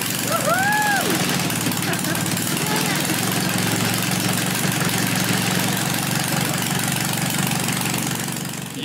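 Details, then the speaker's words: Mercedes bus diesel engine in Iran after engine repair with new spare parts, not yet refitted in the vehicle: even, steady clatter at a settled idle, no knocks, misses or bad noises; runs normally, still needs road testing. "Yeah the engine is running! I mean it is our home, without an engine we would not have a home anymore."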